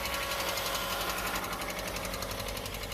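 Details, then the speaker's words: Subaru that hasn't run in a while, started right up and driven out of the vines; idling with a fast, fairly even light rattle about four per second, cause not identified. "let that run a little bit sounds like it's rattling a little hasn't run in a while"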